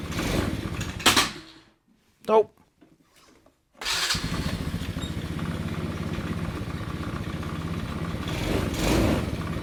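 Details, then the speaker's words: Abandoned go-kart engine on fresh fuel after adjusting the idle speed and mixture screws: fires after a couple of pulls and settles into a steady, even chatter with no misses or hunting; runs normally. "Runs good."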